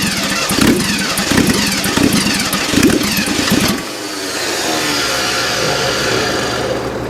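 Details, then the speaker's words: 1979 GMC Heavy-Half with a scrapped 350 small-block V8 on its first run, throttle return spring missing; it runs with an uneven, lumpy beat and ragged revs; owner says the timing is definitely off; rough running. "Yeah, timing definitely off. Yeah, hear it."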